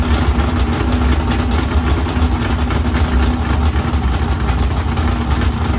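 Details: 769hp 409ci Ford 351 Cleveland on engine run stand, after starter grinding fixed: deep steady rumble with even, unbroken beat, no knocks or grinding; running smoothly and healthy.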